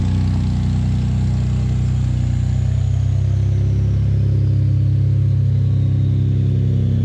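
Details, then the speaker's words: Ford F-150 3.5L EcoBoost V6, real cold start after sitting overnight, following several days on Lucas heavy-duty oil stabilizer and full synthetic oil: smooth steady idle with no rattle; normal cold start idle. "after multiple days of having the Lucas heavy-duty oil stabilizer as well as full synthetic oil in my f150 we have not experienced a cold start rattle noise"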